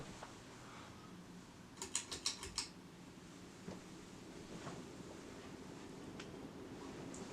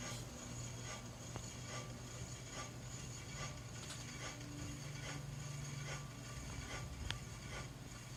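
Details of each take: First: Hunter Original 52-inch ceiling fan (c. 2020, new install) on multi-speed wall control, switched from medium up to high: switch clicks, then a soft even rush of air with no scraping or knocking, running normally and moving a lot of air. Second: New Hunter Original 52" ceiling fan, c. 2020, just installed, running on low: faint light scrape once per blade turn over a quiet motor hum, seemingly from one side; cause unknown.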